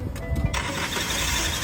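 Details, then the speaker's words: Car engine at start-up with thin steady whistle from inside the engine that disappears when the oil filler cap is unscrewed; PCV valve found clogged with black carbon deposits; crankcase whistle from clogged PCV valve. "听到了吧？是不是发动机里面有吹口哨的声音？但是只要我一拧开这个机油盖，哎，声音立马消失了。"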